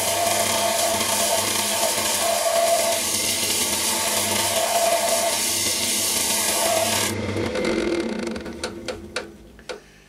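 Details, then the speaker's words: Woodturning a returned, pierced tulipwood bowl on a glue chuck: the rasping cut pulses on and off each turn, catching only the high spots because the bowl has warped out of shape since it was made; it needs truing up. "I presume you can hear that. It just shows how much this bowl's gone out of shape since I actually made it."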